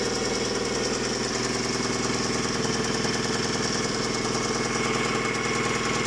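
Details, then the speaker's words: Hyundai G4GC engine, check-engine light on, with the noise starting under acceleration: rapid, even knocking of about three beats a second while the engine itself runs smoothly without vibration; owner suspects the clutch, source unconfirmed. "Бьет сцепление. На самом двигателе вибрации особо никаких нет. Работает ровно."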